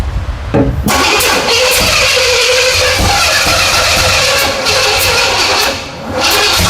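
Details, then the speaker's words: 1977 Pontiac Firebird barn find, freshly overhauled Pontiac 350 small block, after fixing a battery cable connection: starter churns with uneven labouring beats, no catch; engine working against itself, distributor possibly 180 degrees out. "Something's not right. Nope. It's working against itself."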